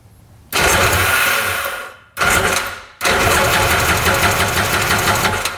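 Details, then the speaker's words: 1995 Tigershark Monaco 640cc jet ski, unrun 20+ years, compression test cranking with oil down the cylinder and throttle stuck closed: even strong chug every stroke, reading over 150 to almost 200; good compression. "Almost 200. Jeez. And that is with oil down the cylinder too, so probably not super accurate, but it's going to be well over 100 even without that oil."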